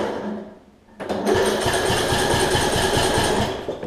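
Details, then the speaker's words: Troy-Bilt Bronco riding mower, Briggs engine, valves out of adjustment, new battery: the starter drags over the first compression hump, then cranks quickly and evenly; owner suspects worn cam lobes, though the compression release still works. "alright so with a new battery with the way the valves are it is better it is not perfect however once it gets over"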